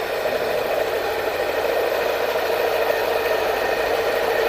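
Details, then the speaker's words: Scooter CVT at idle; a constant raspy mid-pitched whir with a light rattle on top, steady throughout, from worn sliders. Stock sliders are advised, and a little water on the belt quiets it. "Yun lang ang ingay niya. Sa slider."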